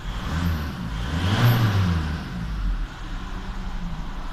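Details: VW Touran 1.9 TDI diesel idling with a lumpy, uneven rumble from a cylinder 3 misfire, with an injector fault code.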